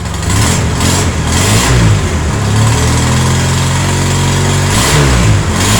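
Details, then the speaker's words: Polaris Sportsman 700 twin ATV, jump-started, briefly choked on start: heavy low thumping rising and falling with puffing, chuffing from up top; suspected exhaust leak needing gaskets, possibly a nest restricting the exhaust. "yeah uh got a little exhaust restriction sounds like it's leaking out the exhaust up here oh yeah big exhaust [Music] leak said we're going to need some exhaust gaskets"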